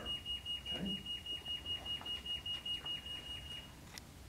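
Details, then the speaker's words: Ludlum Model 375P-336 radioactive contamination monitor with a source held near the detector: steady high-pitched beeps at about two and a half per second over a quiet background; the alarm is non-latching and stops when the source is moved away. "The other thing you should notice is that as I move the source away, right now it's a non-latching alarm, and the alarm goes off by itself."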